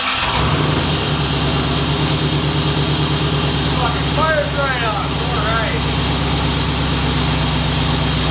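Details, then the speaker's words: 1950 Chevy coupe with 1993 C4 Corvette V8 swap, after fixing a torque converter balance weight hitting a dented pan cover; starts and settles into an even, smooth V8 idle with no knock or tapping. "Okay, it was definitely a weight, balancing weight on the torque converter hitting that pan. So, now it should be nice and quiet."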